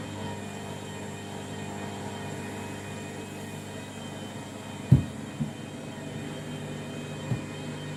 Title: Washing Machine Final Rinse and Spin Very Noisy